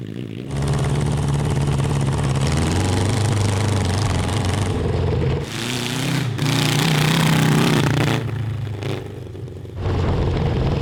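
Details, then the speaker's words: CB750 750cc cross kart engine on stock carburetors with drilled emulsion tubes, warmed up, at high throttle: revs hard but ragged and stumbling; carburetor breakup, worse after the change. "crap we made it worse we made it worse okay well it's a good thing we have spare jets yeah and emulsion tubes"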